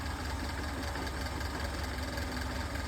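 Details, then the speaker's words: General 340 drill press with the bottom of the cast-iron belt guard removed while chasing a rattle; steady even motor hum with low drone, no rattle, motor moving slightly more than before; normal running. "No rattling noise. I guess maybe just the natural frequency can change a little bit. The motor is moving a little bit more than it did before."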